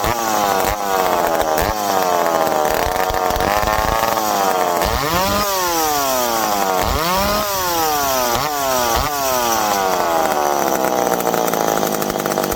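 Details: McCulloch PM700 chainsaw, freshly ported, first run: crisp high two-stroke wail sags into each cut and snaps back to full revs between cuts; healthy saw pulling well, break-in next.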